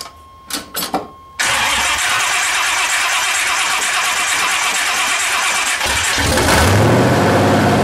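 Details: C30 383 stroker after replacing stock starter with high-torque racing starter; brisk even cranking chug, then the engine catches and roars up, starter turning it strongly; engine still won't idle.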